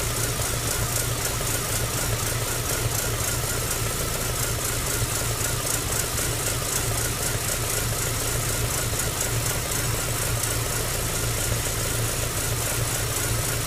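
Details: MG ZR 105 at idle: fast, light ticking rattle over a steady drone. The noise comes and goes despite new plugs, leads and alternator belt. Intermittent abnormal engine noise, cause unknown.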